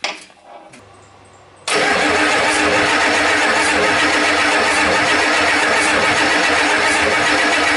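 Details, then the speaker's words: 1989 Ford 7.3 IDI diesel, crank no start while air is purged from the fuel system: a long steady cranking roar that never catches, with cranking advised in 15–20 second bursts to protect the starter. "so guys when you're trying to do this don't sit there continuously crank and crank and crank"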